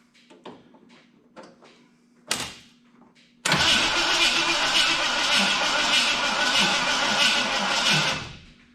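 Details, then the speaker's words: 1986 Ford F250 351 Windsor cranked via solenoid with screwdriver in number 1 plug wire: steady even cranking never catches; no spark, later traced to pickup coil gap too far from the distributor gear. "Not seeing any spark jumping out of there. Try it again. No. Now we need to figure out the spark."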